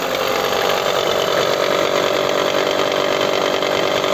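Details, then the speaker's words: Mitsubishi Outlander engine idling with accessory belt removed: quick even ticking, about four a second, from the front of the engine persists, so cause is internal; timing area oil leak found, link to noise not confirmed. "El problema de este es que tiene un sonido en la parte frontal del motor."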